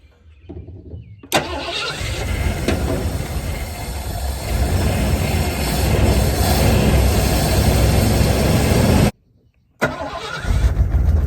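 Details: 1986 Ford Bronco 351 Windsor four-barrel V8, sat about 15 years, fed fuel through the carburetor: it catches, idles steadily, then revs up and down cleanly with nothing rattling. Healthy running, with a little exhaust smoke likely from buildup.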